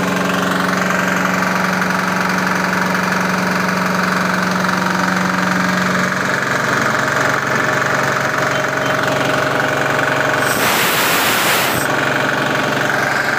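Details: Swan SVU202 air compressor with a 170F 6 hp diesel engine (captioned as 2 hp), recoil start, 225 L/min, 85 L tank, throttle being turned down: steady, even single-cylinder diesel clatter with a short hiss of air midway; normal running.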